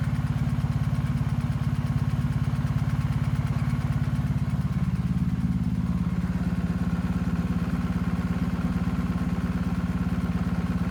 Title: BMW R1250GS, 7k miles left cylinder ticking noise